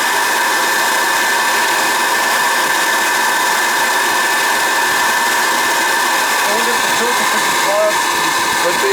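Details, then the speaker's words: Riello oil burner on a Weil-McLain Ultra boiler with an overhead oil line and running issues. The burner is run so it won't fire, to check oil flow. A steady, loud fan-and-motor rush with no flame roar or ignition thump. "this is just this is just to run it to see what we get for oil flow"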